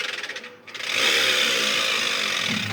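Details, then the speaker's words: Washing machine drum turned by hand with no mechanical play: harsh, hissy grinding rasp instead of a quiet spin. Not normal; the noise comes from the drive motor. "Ese ruido no es normal. Sí, en este caso el ruido viene del motor."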